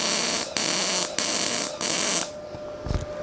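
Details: Ramco 120 A MIG welder running with CO2 shielding gas: steady, even frying hiss in half-second bursts, then the arc stops; a normal, stable MIG weld with a clean bead.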